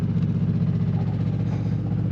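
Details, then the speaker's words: Onan generator in an Arctic Fox 990 truck camper, heard from inside the camper: a loud, steady low drone with a throbbing pulse, measured at about 70–75 dB. Things inside vibrate, showing excessive noise and vibration. "all right this is the sound of our generator running i don't know if you can pick it up but things in here are actually vibrating"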